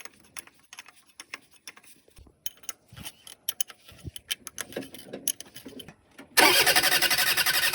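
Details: Shengong 20 that wouldn't start, after replacing the high-pressure fuel pump: clicks and handling noise, then the engine fires abruptly and settles into a steady, even run; starts cleanly.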